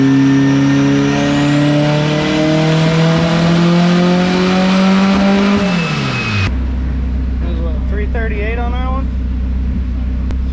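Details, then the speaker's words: Honda Civic race car (PFI Speed, PSCA race prep) on a pull: revs climb steadily, then abruptly drop to a low idle. Engine cutting out once it goes to tag, around 2.33; cause not confirmed. "it's like cutting out it after it goes into meat tag it was like 2 33 yeah it's cutting out once it goes tag"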